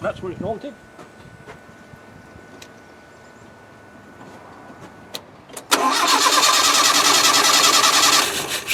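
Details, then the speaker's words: Land Rover 90 petrol engine with an old Weber carburettor, very wet and flooded, cranked with the floats open after a new fuel tank was fitted: quiet, then a short crank and it bursts into a fast, uneven rev as it clears. "well the chalks working and it's very wet up there so I'm just wondering whether you just needs a damn good cranking through"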